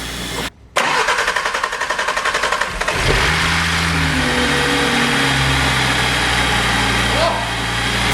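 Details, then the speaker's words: 2.5 engine from Skoda Octavia vRS (RS3 engine) for Audi RSQ3, first start on CTSA ECU: two-second crank then steady even idle, no knocking or banging; engine runs well, ECU seems to be working. "sounds good I think don't want to run it too long yeah nice sounds good engine sounds good no knocking no banging runs good ECU seems to be working"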